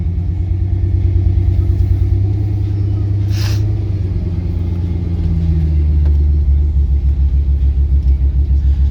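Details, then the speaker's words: Lifted 2001 Ford Excursion with a freshly installed 2002 V10 engine: deep idle with a lumpy, pulsing lope growing more uneven; idle misfire, owner says a couple of ignition coils aren't working. "I got a couple little misfire issues that I have to fix on it. Like, I got a couple ignition coils that aren't ignition coiling, so I got to fix that. And you can definitely hear the misfire going on right now."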